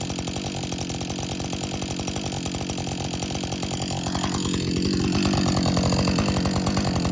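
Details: Husqvarna 562XP chainsaw, after the shop reflashed its software for dying when hot and stumbling, warm after a lunch break and refuel: steady, even idle with regular firing pulses and no stumble or die-off; normal idle, better than it has run in a long time.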